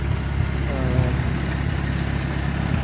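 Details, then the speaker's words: 1988 Shelby CSX-T with AC off: low, smooth, even idle with steady rhythm and no knocks or ticks; healthy, solid-sounding engine. "here the engine sounds quiet solid"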